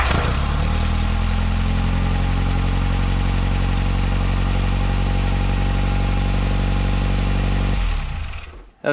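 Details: 1960 MG MGA 1600 roadster started after long barn storage, with owner suspecting corroded valves and low compression. Strong, steady low idle running evenly for several seconds before the engine is shut off; afterwards oil leaked from the oil pressure gauge hose. Normal running.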